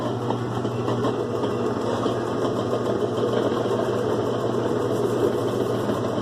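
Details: 2005 Kenmore 70 Series direct-drive washer on slow spin: steady rough whirring hum with a gritty rattle; noise from the water pump, believed dirty inside.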